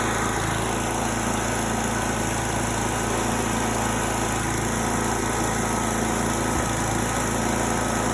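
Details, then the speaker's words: 8-horsepower 1980s Simplicity snow blower after a choked start on a cool evening: loud, steady small-engine drone at even speed with no misses or knocks; healthy normal running. "And we'll put the old Simplicity to bed until fall, and then we'll start it up again, make sure she runs, but she's running good so far."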